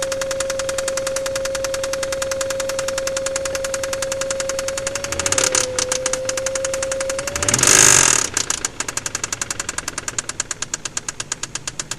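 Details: Mazda KLZE V6 idling with a sharp, steady metallic rod knock from spun crankshaft bearings on cylinder No. 6.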